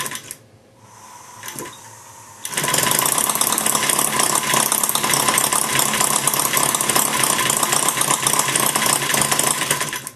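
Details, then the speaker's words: Maier TA4 after tuneup, warmed up, taking almost nothing to run: picks up after a quiet start into a fast, fairly even crackle of firing pulses; normal warm running. "it's a nice little idol there you know it's running real uh firing every time when you can get a title now you take almost nothing to run it after you get heated up"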